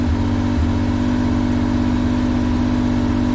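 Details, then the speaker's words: Mitsubishi Kei mini truck, unknown year, sat since about 2021, started with a squirt of starting fluid, running on its own on choke: steady, even idle with a smooth low hum, no knocks or misses; small petrol engine healthy. "It's running too good. Sounds fantastic."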